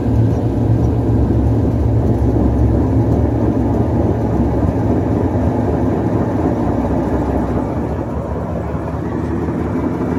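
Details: Washing machine spin cycle: loud, steady low roar from worn drum bearings, ruined by water leaking past a failed seal.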